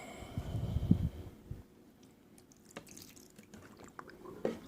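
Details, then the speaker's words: 2011 Jetta with recurring wet floor: plugged body drain tube blown through with air gives a low bubbling gurgle, then drips and trickles as it clears. "now i heard it i can hear it gurgling through and there it is"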